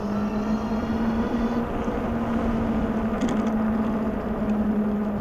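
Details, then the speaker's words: Globalkeep MA-S electric motorcycle (4000 W peak motor) with aggressive knobby fat tires, ridden up to speed on pavement: a steady low hum under the road noise; the knobby tires hum noticeably. "Definitely hum. They hum going down the road. You notice them."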